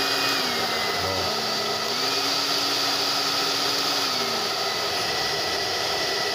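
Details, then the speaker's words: Strong, even air rush with a steady motor hum and no rattle from a Tecno Elétrica Fórmula 6000 Turbo hair dryer on high. It is reassembled with an adapted heating element, and the motor is slightly off-center but not rubbing; it heats well, running normally. "eu coloco aqui ó fica morno aqui já esquenta bastante e a velocidade do vento também"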